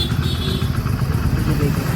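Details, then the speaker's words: Hero HF Deluxe bike, single-cylinder, after crank work fixed a rattle: steady, even thrum with no knocks or clatter, smooth and healthy. "अब आप इसे सुन सकते हैं, दोस्तों, यह कितना शानदार लगता है। कार की आवाज की तरह, मक्खन की तरह।"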